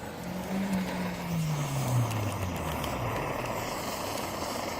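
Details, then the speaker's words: 1930s Primus 70 paraffin pressure camp stove, restored with new jet and running on Coleman fuel, possibly overfilled. Steady, even roar without sputtering or flare-ups; residue at the cap and owner suspects the cap seal needs replacing. Normal burner roar. "it's working can you see that I'll get you in place in a minute actually working look how about that then"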